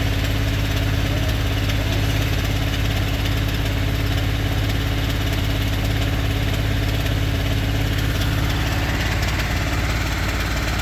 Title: 2022 f250 7.3 bad lifters? ticking/knocking 25000miles